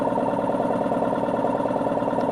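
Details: Single-stage 2-piston air compressor pump run with no oil: fast, even pounding over running drone, building with pressure toward 100–130 psi; connecting rod starting to knock after dry running.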